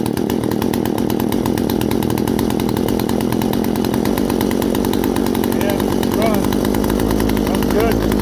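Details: Poulan 42cc chainsaw with 18-inch bar, used, after a chain job and deburring the bar: loud, even two-stroke buzz holds steady at high revs without stumbling or surging; runs healthy, ready to go.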